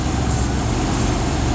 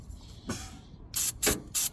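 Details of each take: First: 1996 Ford F250 XL V8 with a bad fuel pump, running on starting fluid: a steady, even low rumble with no misses; all eight cylinders firing, smooth idle. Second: 1996 Ford F250 XL with a suspected bad fuel pump, cranked in several short bursts while starting fluid is sprayed. It catches into a rough idle only on the fluid and shuts off right after.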